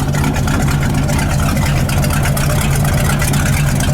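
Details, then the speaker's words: 1978 Ford F-700 V8 with new plug wires (firing order just corrected) and new exhaust, idling still cold. Deep, loping, slightly uneven idle; owner judges the carburetor a little rich and plans to adjust the mixture once hot. "Uh once it's hot, I'd say that's a little rich. It's kind of trying to overcome some gas, extra gas."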